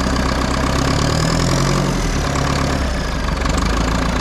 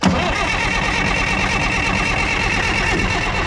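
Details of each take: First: Front-end loader that sat about 15 years, running again after a few days of work, coolant topped up: low, steady diesel idle with an even chug, slight swells in loudness, no misses; normal idle. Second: Front end loader diesel, unused about 15 years, with little nasty-looking diesel in the tank: fires and clatters briefly at a rough, strained, uneven idle; not enough good fuel reaches the engine to keep it running, and a clogged fuel filter is suspected.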